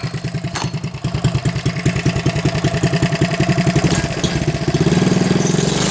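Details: Coleman CT100U mini bike after new header pipe with silencer, gas tank, fuel lines, fuel filter and carburetor: the single cylinder starts on one pull, fires in a steady quick putter and picks up smoothly; the throttle cable is still janky.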